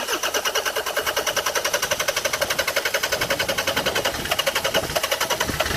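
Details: Land Rover Freelander 2.0 TD L-series diesel farm vehicle cranking: steady starter churn at about seven compressions a second that never catches; crank no start, a leaking pipe found.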